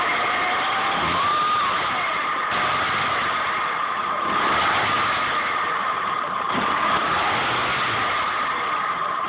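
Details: 2005 Saab 9-5 Aero with codes P1300 and P1304, misfiring despite a new direct ignition coil: uneven stumbling run with irregular dropouts under a steady whine; engine misfire.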